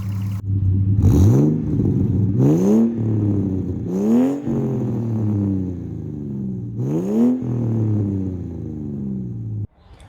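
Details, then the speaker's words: BA Ford Falcon XR6 Turbo, Barra engine, running rough and hunting on revs with lack of performance; owner suspects an exhaust leak at the manifold-to-exhaust gasket. Repeated rev blips with a raspy, chuffing edge over the exhaust note. "As you can see, it's running pretty rough, and I'm guesstimating, like I was saying, that it's probably because of that leak."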